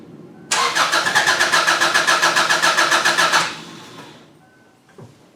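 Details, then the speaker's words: 2002 Subaru Outback that died while driving, restart attempt: steady starter cranking at about four turns per second for three seconds with no catch, then silence; ignition or fuel suspected. "okay it's dead so it did sound like it wanted to start for a split second which is a good thing so it's either ignition or fuel which caused the car to go ahead and conk out on me"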